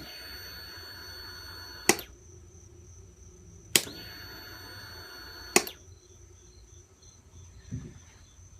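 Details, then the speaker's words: 2003 Kawasaki ZX6R 636, 15,000 miles, won't turn over: single sharp clicks about two seconds apart, no cranking, battery 12.15 V, fuses fine; previously cranked slowly when warm; owner suspects battery, solenoid or starter. "when I click the start button just get a clicking noise got my voltmeter hooked up to the battery says 12.15 um but that clicking noise is definitely coming from this right here"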